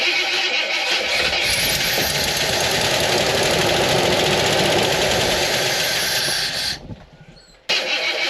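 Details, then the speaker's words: Wagoneer with electrical troubles (owner suspected a major short, plow disconnected, starter being considered): the starter hums and labours for several seconds, dragging the engine slowly without catching. Owner suspects an engine problem, doubts voltage; finding: slow cranking from low battery voltage. "See that? Like it doesn't want to turn over. Like you can hear it humming, like that starter motor trying to turn this thing over."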